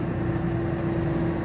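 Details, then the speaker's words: 2017 Winnebago Minnie Winnie RV air conditioning run on generator power, set to cool at 65: steady even hum with a low drone and faint constant tone, no surging or rattling; normal A/C fan operation. "Now while we're here and the generator's on, to run the air conditioning, you just turn it over to cool. And then here it's set to 65 and it turns on."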